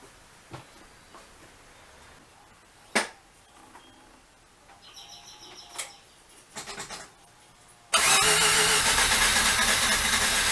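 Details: Rotary engine cranks after a few clicks and clunks, steady fast starter cranking that never catches; strong spark now but no fuel delivered, a dead fuel relay.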